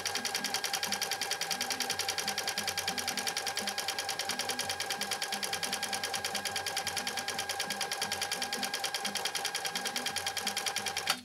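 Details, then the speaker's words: 1980s all-mechanical 1.0 A New Home SL2022 sewing machine, now repaired, sewing a decorative stitch at stitch length 1 and width 6: quick, even stitching at about three per second with a smooth whir and no clank. "this is a beautiful stitch that we chose it really is it's just super you can hear how smooth sherry's machine is running too"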